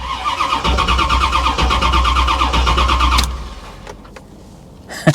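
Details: Salvage-auction C4 Corvette suspected to have been sabotaged: starter churns the engine at a steady beat, about three turns a second, for three seconds but never catches; fuel pump heard afterward; cranks but won't start, cause unknown.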